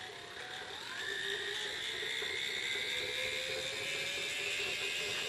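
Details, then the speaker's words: Small gearmotor added as a second motor on a wood lathe, run through a PWM speed controller: a thin, high whir that climbs then holds. It is gearbox whine that began only after the unit was taken apart. "that sound you may hear is the little motor, the gearbox and the little motor. It didn't make that until I decided to take it apart."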